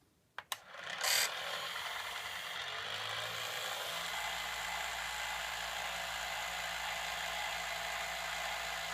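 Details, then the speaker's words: Gakken Premium Gramophone kit, bare wind-up motor mechanism with other parts removed, as from factory with no lubricant, before greasing: loud, steady high-pitched gear chatter and whirring; dry gears needing grease. "So there you go. You're hearing the Gakken Premium Gramophone as it sounds without any lubricant from the factory."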